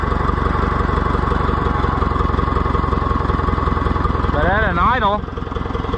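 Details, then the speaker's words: Oliver 1450 tractor at idle after first oil change in unknown years, charging system disconnected: even, steady low firing with smooth beat, no knocks or misses; about 38 psi oil pressure. Normal idle, much better than before. "you idle down good listen to that little thing Oh I pushed it too far but it is a lot better than it was"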